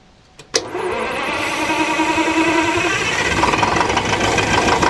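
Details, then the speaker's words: Detroit 4-71 diesel powering a sawmill, cold start: a click, then it catches almost at once and settles into a steady, busy diesel clatter while warming up; a clean cold start. "Okay, while uh Old Blue is uh warming up there, you can hear the old girl, uh Paulson."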